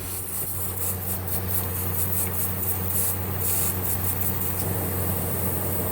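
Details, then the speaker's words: Goodman evaporator pressurised with nitrogen, system found empty: thin high-pitched hiss in fluttering bursts over a steady low hum, gas escaping from a capillary tube rubbed raw near the drain pan; small leak, the cause of the failure. "That one tube is pretty bad off. Nate, this is the leak. You can hear it. I have 300 pounds of nitrogen, or I did. It's a small leak."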